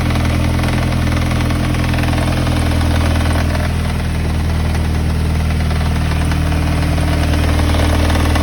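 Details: NB Mazda MX-5 at steady idle with a low rhythmic knock about two to three a second that carries through the revs; owner suspects a spun big-end bearing or a bad timing belt tensioner.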